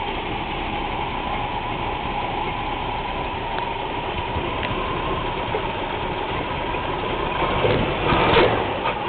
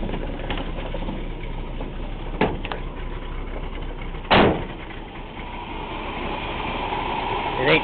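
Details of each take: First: 1980/81 Chevy C20 3/4-ton truck, 350 (5.7) V8 with Quadrajet carb, running cold: lumpy, uneven idle with occasional stumbles. Rough cold idle; owner says it badly needs new spark plugs. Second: 1980 Chevy C20 HD, 350 V8 with Q-jet carb, needing spark plugs: steady, even idle with no misses, knocks or hunting, just door and handling thumps; normal idle.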